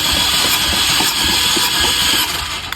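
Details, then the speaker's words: 2023 Changan CS55 Plus 1.5 turbo GDI, overheated engine removed and cranked: starter spins fast and evenly with no compression pulses, no firing; no compression in all four cylinders, piston rings stuck, cylinders filled with antifreeze. "Қараңыз міне, моторда түгел компрессия жоқ."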